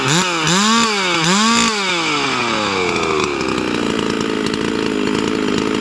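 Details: Hypo 660 build chainsaw with added third muffler port and stock chain, cutting a dry log with knots: two quick rev blips, then the scream settles lower and steady as the chain bites; pulls cleanly under load.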